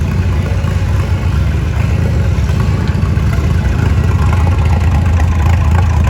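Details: Farmall M tractor, misfiring and smoky, after fuel bowl refill: deep loud idle with irregular lumpy beat under steady drone; misfire, cause unconfirmed, ignition points gap unchecked.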